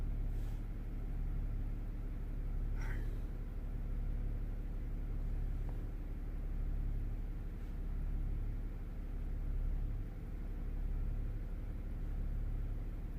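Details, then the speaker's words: Range Rover Sport air suspension with exhaust valve and compressor circuit faults: steady low electric drone with faint pulsing as the compressor kicks in; the front rises extremely slowly. "vehicle raise in progress yeah the front of the car is rising but extremely slow it should I think it should be a little bit faster"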